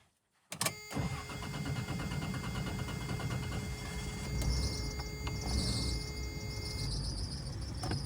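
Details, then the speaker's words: Toyota 4Runner with swapped 3.4 V6, sometimes starting then dying: starts quickly and idles with a thin steady squeal from a serpentine belt that is a little too long. "all right not sure if you guys can hear that squeaky belt that's the built issue a little bit too long not a big deal"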